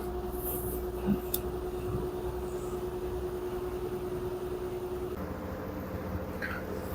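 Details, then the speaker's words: LG 10 kg wash / 7 kg dry front-loader with a smart inverter direct-drive motor, complaint of huge noise on spin; bearing and seal found fine. As the spin rpm rises, a constant motor hum and soft drum rumble, no abnormal noise yet. "Now you can see the machine now increasing RPM, spinning cycle. Now still no any abnormal noise from the machine, still having normal noise."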